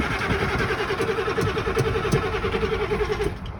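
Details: 7.3 Powerstroke diesel, cold start after sitting about two weeks, key cycled repeatedly for the glow plugs: even, laboring cranking pulses that stop without catching. Hard starting when cold.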